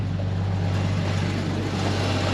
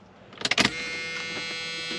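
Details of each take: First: Hurricane-flooded Dodge Dakota 4x4 convertible started after rescue, fuel pump suspected weak: low, steady, even idle with no knocks or misses and some exhaust leak; gauge reads low but engine sounds good. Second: Flood-damaged Dodge Dakota 4x4 convertible after hurricane, fresh battery, at key-on: a couple of sharp clicks then a steady high electric buzz at constant pitch, like an '80s Dodge fuel pump kicking on; fuel pump priming.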